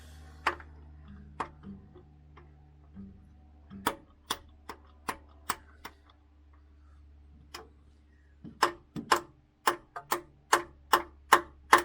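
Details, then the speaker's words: MK3 Ford Cortina with seized Kent engine, starter engaged, no movement at the pulley mark: sharp dry uneven clicks, two to three a second, no cranking; solenoid stuck in. "look at that mark not getting anything incoming solenoid stuck in"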